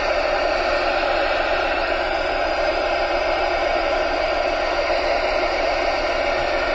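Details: Radio receiver on GB3IR repeater output frequency near Tesco Catterick Garrison entrance: constant hissing hash with a faint buzzing howl where it should be quiet; interference apparently from the store, source unknown.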